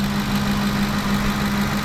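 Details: 2010 Ford F-150 5.4 L V8 idling after alternator and serpentine belt replacement, charging about 14.5–14.6 V on old corroded battery: smooth low hum, no belt squeal; owner blames old alternator bearing for earlier squeal. Normal idle.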